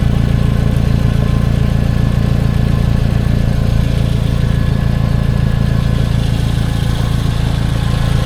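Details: 2011 Toyota Camry after soldered repair of damaged crank position sensor wiring (P0335): smooth, even idle with steady low beat, no misses, stumbles or knocks; signal verified at ECM, running healthy.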